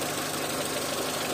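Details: Renault Clio 1.0 16v with intermittent no-start, idling during oscilloscope check of crank sensor: steady, even idle hum, no misses or stumbles; normal idle.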